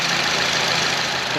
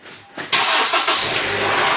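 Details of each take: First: 2014 Honda CR-V 2.4 after replacing a stretched timing chain, tensioner, guides, cam gear, VTC actuator and timing cover; first start, checking for leaks: smooth, steady idle with an even hiss and no knocks or chain rattle; healthy idle. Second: 2014 Honda CR-V 4-cylinder with brand-new VTC actuator, started after sitting 24 hours at 75°F: engine catches, then a loud loose metallic rattle over idle for several seconds; timing chain stretched from the bad VTC actuator left unfixed.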